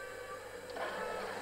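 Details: Boiler after repair, refilled to about 1.5 bar with a hot tap running: a steady drone, then a soft rushing swell as the diverter valve swings over to hot water. The plate heat exchanger is purging air normally.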